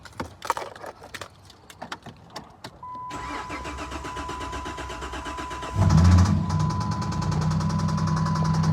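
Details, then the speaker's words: 2009 Dodge Charger 3.5 engine, just bought: cranks, catches and idles with a steady knock about three beats a second; engine to be pulled and replaced. "back with another one 09 Dodge Charger just bought this one see got a motor knut going to see what it sound like"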